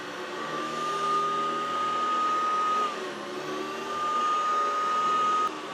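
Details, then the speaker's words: Vintage Hoover Decade 80 (Hoover Convertible) upright vacuum after repair: even motor whir with clean high fan whine that dips briefly and returns, no grinding or rattle; sounds good, not the best, likely to improve with use; normal running. "oh that sounds good not the best but it's good enough uh that'll probably get better with a little bit of use"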